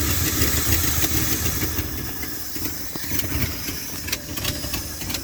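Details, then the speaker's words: 1978 Dodge D100 Step Side after fuel pump swap: very low lumpy idle with uneven beat and stumbles, sounds starved and smoking a bit; knock-like sound from exhaust leak, idle screw suspected, cause unclear. "It's like it's starving. Smoking a bit."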